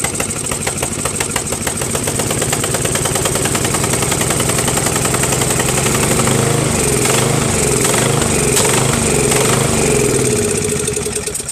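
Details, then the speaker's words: Craftsman 13.5HP mid-engine riding mower replacement engine after ultrasonic carburetor clean, new starter, battery and key: uneven chugging rising and sagging with sharp pops, surging and backfiring, sounds worse than before; cause not found, small fuel leak noted. "weird man now man that sounds worse than before you know well I don't know fellas this tractor is gonna be the death of me I can't figure it out"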